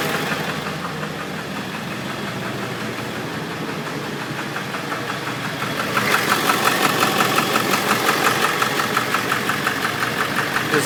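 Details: Ford 7.3L Power Stroke diesel on a moderately cold start: idle picks up a sharp tick-knock about three per second, from the passenger-side valve cover area. The knock comes and goes; owner suspects a bad injector, unconfirmed.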